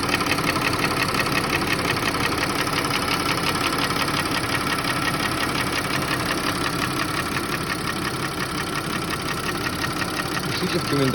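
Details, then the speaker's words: Audi A6 C6 2.8 FSI V6 at idle, knock appearing a month after oil change, cold and hot, vanishing with slightly raised revs, check engine light on: light fairly regular tapping about twice a second over steady idle; source not found. "Смотрите, двигатель 2.8 FSI. Когда запускаешь двигатель, смотрите, какой звук. Стук."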